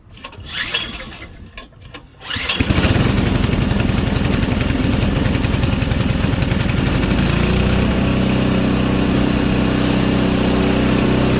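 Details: Auction Craftsman Series 2 snowblower engine with points ignition, continuity checked: a few pulls, then it fires and settles into a steady, even putter about three or four beats a second; normal idle.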